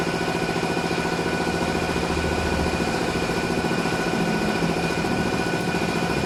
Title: Honda City Cvt,Grinding sound, delay, vibrate